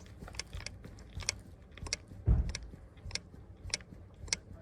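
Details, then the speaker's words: Tesla Model S jacked up in jack mode, brake on, rear wheel rocked by hand: dull clunks and sharp clicks from play in the rear upper (top) control arm, not the jack. Worn suspension control arm. "should be able to hear the knock, not the noise of my jack."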